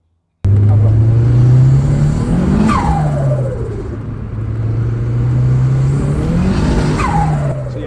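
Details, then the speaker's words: Turbocharged car before dyno failure, running under 10 psi boost (about 8 psi) on light load: smooth engine drone rising and falling evenly with throttle, no knocks or rattles; engine sounded perfect, not a single noise. "car morning was perfect it wasn't a single noise on the engine it was great"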